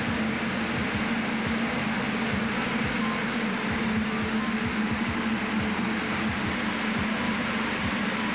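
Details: Main air compressor running during after-cooler replacement work: loud, even running with steady low thumping pulses and no knock or squeal; running normally.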